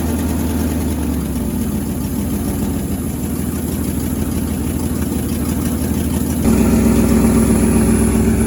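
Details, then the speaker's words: 1963 International Loadstar 1800, first run in 20+ years, a pump feeding the carburetor, building air pressure: steady, even idle with a smooth low beat, no knocks or misses. The oil pressure gauge reads nothing, but no knocking is heard. "Oil pressure's not really doing anything, but I don't hear it knocking, so we must be good."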